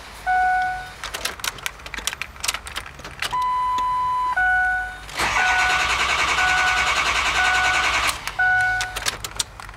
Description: ford super duty f-250 2003 6.0 liter hard start issues